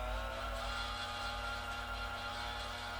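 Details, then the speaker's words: New GE G8M 5.3-quart planetary stand mixer, first run without a load, stepping through speeds 1 to 6; quiet steady motor hum with light gear whir, metal parts and fresh factory grease audible, no grinding or knocking; normal. "it definitely sounds like there's metal parts in there and i can hear what sounds like brand new grease from the factory getting distributed as it's turning"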